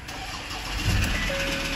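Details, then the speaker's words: 2016 Ford Ranger with a new battery, under investigation for a ticking noise: brief strong cranking that catches and starts cleanly with no hydraulic lock and no hesitation; another car is idling in the background. Normal cranking and start. "Okay, no, it didn't seem to hydraulic lock there, and he's cranked over the finest."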